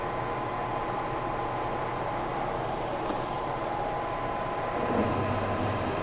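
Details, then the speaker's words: Lion lathe boring a 19-inch sprocket bore at 250 RPM, about 50 thou per pass; steady high ringing over the lathe drone as the cut hits the harder center plate: boring bar chatter, spindle needs slowing. "all right that chatter you're hearing as we hit the center material I don't like that I might have to slow her down to combat that"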